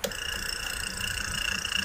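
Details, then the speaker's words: Electric fan converted to bearings (688ZZ/MR148ZZ), cover off, running with a steady high-pitched scraping whir; the rotor is rubbing inside because of bearing and shaft play. "yan poong tunog niya kumikiskis po yan doun sa loob so bearing problema niyan"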